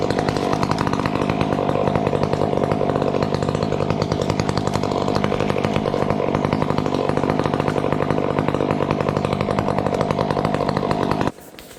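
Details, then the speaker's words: Chainsaw cutting through a tree, holding high revs steadily with only an odd brief four-stroke burble before shutting off. A healthy, well-tuned saw cutting nicely. "it's cutting nice it's cutting nice you hear the odd little fourstroke bark which is fine"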